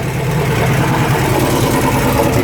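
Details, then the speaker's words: 1972 Range Rover (A suffix), after adjusting the gear change with a feeler gauge to fix a second-gear problem: idle drone, second engages cleanly with no crunch; gearbox good, though third and fourth now won't select. "can set this up. Gearbox is good."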